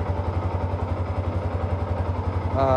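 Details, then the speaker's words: Yamaha R15, 10 years old, engine never opened, idling after first oil change in 5 years (only 100-200 cc old oil left, new MPX oil): even steady single-cylinder beat, no knocks; smoother, normal idle. "terasa lebih halus suaranya dan tidak ada tarikannya lebih enteng karena olinya beli baru, tarikan enteng."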